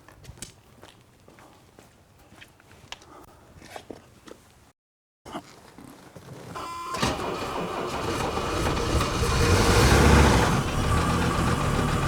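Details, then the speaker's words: Mercedes W126 300SD diesel, replacement engine of unknown mileage, sat 10 years, glow plugs powered: starter churns about four beats a second, lopsided, no catch. Uneven cranking; one or two cylinders weak on compression, possibly oil drained from the rings. "okay a couple things you probably noticed right away that we've got one or two cylinders that have pretty weak compression you hear that cranking over and you can hear that runner around which indicates weak compression"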